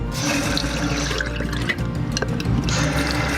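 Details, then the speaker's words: RV bathroom cartridge faucet after repair: water runs steadily with smooth hiss, no squeak, after cartridge rubber seals and o-rings were lubricated with Teflon-based Magic Lube; faucet now quiet. "put your nose back on and you're squeaking has gone away it's that simple"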